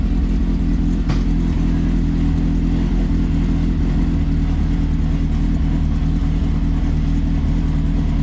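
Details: Strong, even engine note holding steady with no knocks, misses or rattles. This is the first start-up of a Suzuki GSX-R motorcycle engine swapped into a Smart car, revved through a homemade servo electronic throttle and foot pedal.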